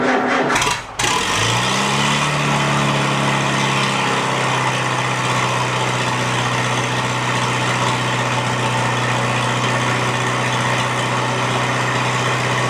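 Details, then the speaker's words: Farmall A tractor, newly installed engine, after plugging intake manifold holes; running without coolant or radiator to warm up before valve adjustment: catches after a brief crank, settles into steady, even low idle, no knocks or misses, good oil pressure. "I'll let it warm up I want to adjust those valves and then uh you finish butting up the nose on the thing sounds good though good oil pressure"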